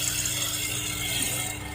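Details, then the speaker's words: A Hatari 16-inch wall-mounted fan makes a loud, harsh, rattling grind over the motor hum when switched on, caused by a seized rear motor bushing. "โอเคครับเสียงพัดลมHatariแขนผนัง16นิ้วเสียงดังมากมันเกิดจากสาเหตุอะไร"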